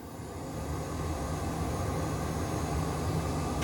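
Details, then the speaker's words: 1976 International Harvester Scout II, original interior: factory heater blower running with a steady, even rush of air from the dash, no ticking, scraping or squeal; the heater blower works normally. "as you hear that run the factory heater blower does work"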